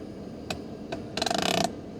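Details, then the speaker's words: 1997 Mercedes S500 coupe side power mirror moving by itself: two light clicks, then a half-second rapid ratcheting buzz as the mirror motor cycles without being switched and won't stop; cause unknown. "See, this guy is trying to adjust the mirror for me. I mean, the car is trying. It's just like haunted."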